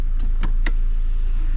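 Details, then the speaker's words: Audi B8/B8.5 after a front and rear pad and rotor replacement, car started: a brief whirring motor run with a few clicks over a low idle hum as the electric parking brake extends and applies on the second press; it holds the car, normal engagement. "all right so the first time you could hear it extending and then I pushed it again and now it's on"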